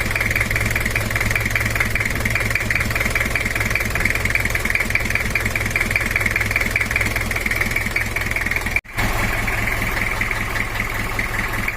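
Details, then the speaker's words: Toyota Kijang LGX 2L diesel just rebuilt, with camshaft replaced, injection not yet adjusted; harsh dry idle clatter about two and a half knocks a second over a hard hiss; rough idle from untuned injection. "ini adalah suaranya masih belum kita setel suaranya terlalu kasar dan kering"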